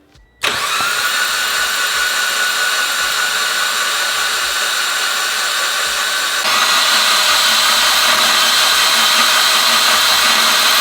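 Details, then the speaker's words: Mitsubishi Evolution with brand-new built engine, no spark plugs or coolant, cranked to build oil pressure on a manual gauge before first start: steady, even whirring crank that spins up quickly and holds smooth for ten seconds, no knocks or grinding. "We're going to go ahead and crank the engine, make sure everything sounds fine, and crank it till it builds oil pressure."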